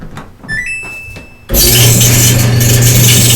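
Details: Samsung DV48J7770GP/A2 dryer, about one year old: control beeps, then a loud, rough rumble and low hum on start from a worn belt idler pulley, fixed by replacing it with a ball-bearing pulley.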